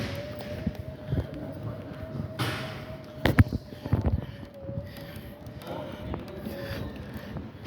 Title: Machine Making a weird noise